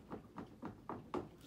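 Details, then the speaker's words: 2018 Polaris Sportsman 850, about 80-90 miles and 13 hours: five dull clunks, about four a second, as the handlebars are rocked and the steering shaft moves up and down into the front diff; owner suspects a worn bearing or bushing there. "I can take my handlebars and literally move my whole steering shaft up and down."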